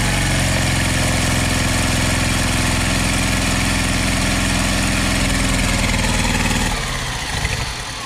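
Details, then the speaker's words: 1974 W200 getting running, carburetor running poorly: fast steady note winds down, turning uneven and stumbling off throttle; sounds like a miss off throttle but not on throttle, misfire suspected, not confirmed. "but when you're up on the throttle it didn't sound like it was missing when you get off the throttle it sounds like it's missing"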